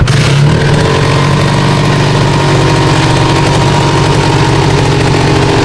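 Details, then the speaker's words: MBX125F two-stroke motorcycle, stationary, kick-started once with 2T oil sufficient: crisp, even burble with a steady low beat and no knocks or rattles; idle slightly high at first, standard exhaust sound, healthy. "Okay, tadi saya start enjin yang tidak bergerak lah. Bunyi dia standard je."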